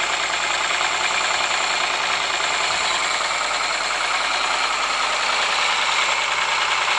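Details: Ford Sierra engine at idle with a persistent sharp, bright metallic tapping knock, roughly three per second, over the run; cause unknown.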